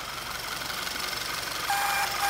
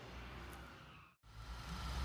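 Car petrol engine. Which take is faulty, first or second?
first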